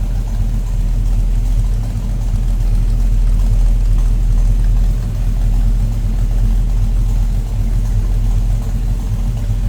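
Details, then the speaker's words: 1940 Ford Standard Coupe street rod idling shortly after a cold start: deep, even burble held steady, with no misses, knocks or ticks over the exhaust rumble. Normal idle. "Nice sounding car too. Nothing crazy over the top."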